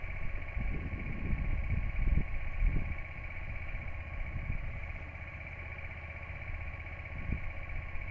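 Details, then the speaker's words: Honda XL125V Varadero in first gear at idle, rear wheel turning slowly while gear oil is applied to the inside of the chain; smooth, quiet chain with no slap or grinding, well lubricated: normal chain running. "Just let it run for a little while. You'll be able to hear the difference."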